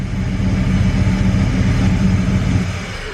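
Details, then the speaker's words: LS-swapped Cutlass with standalone harness and GM computer, in for a tune after a possible complaint it wants to die in gear: in park, a rough, pulsing low drone of unclear source as the idle slowly climbs back up. "I don't know what that noise is"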